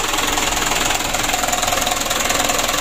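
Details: Mitsubishi Canter 136 PS diesel in a tour minibus burning oil, after tune-up and warm-up, before piston ring replacement: diesel idle knocking about twice a second with slight uneven shake; not yet smooth, needs teardown.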